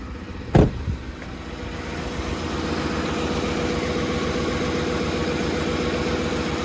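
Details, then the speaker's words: Lincoln Navigator V8, recently rebuilt, warm: shudder and high idle, fast, uneven, lumpy beat with faint tapping; RPM far too high; idle parameter altered by an aftermarket tune, temperature sensors reading correctly; phasing issue suspected. "does not sound good at all not for just being rebuilt so it sounds like there's some kind of phase or not going on and then of course the rpm way high you hear it i mean it's way too high"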